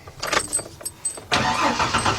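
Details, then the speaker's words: Ford E150 Econoline van with 4.9 engine, 242,000 miles, sat 10 years, just after starter replacement with ground wires to starter and body; a few quick cranking turns then catches cleanly and runs steadily: normal crank and start. "Oh, man, that sounded good. Oh, that sounded real good."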